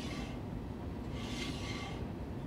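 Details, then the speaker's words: 1960 Chevrolet El Camino rear brake with new wheel cylinder, drum turned by hand: dry, steady scrape swelling briefly midway as the shoes drag on the drum; considered acceptable. "just hitting the uh shoes yeah now that don't bother me"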